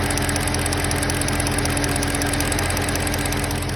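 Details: BMW M3 at idle: steady exhaust note with faint uneven light tapping, strange noise of unclear source; abnormal noise at idle.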